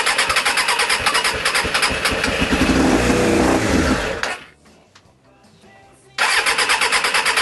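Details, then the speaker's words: Suzuki Bandit 600, stone cold, choke on: runs roughly, then sags nearly to silence for about two seconds before catching again; it keeps cutting out. The owner suspects fuel starvation and plans to check the coils. "That sounds like it's not getting any fuel whatsoever."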